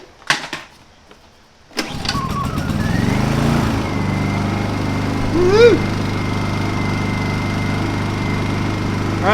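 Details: Honda 2000W inverter generator after cleaning a gummed-up carburetor for a no-start, choke on: catches on the first pull and settles into a steady, even hum with a faint whine, running normally.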